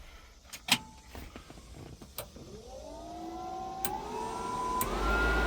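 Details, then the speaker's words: 1963 Ford F100 stepside truck, aftermarket-installed heater: blower motor whirr rises then settles into a smooth even hum; the heater works normally. "um a heater was installed and it works"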